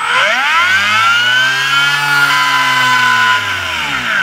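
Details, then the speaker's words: Known-good control Hobbywing 3.1 brushless ESC on a MiniPro dyno, 2S fully charged battery, servo-tester throttle: smooth whine rises as throttle opens, holds at top speed, then falls evenly, smooth at bottom and all the way through; normal motor run. "you just turn it on once it's on and they go it's very smooth very smooth at bottom and all the way through"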